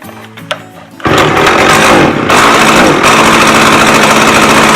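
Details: McCulloch 610 chainsaw after a carburetor cleaning: it now idles well, but on throttle it revs, then sags and stumbles as if running out of fuel. The high-speed mixture is too lean.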